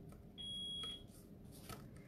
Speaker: don't know if you can can you hear the beefing in the background to really start there's something wrong with our alarm today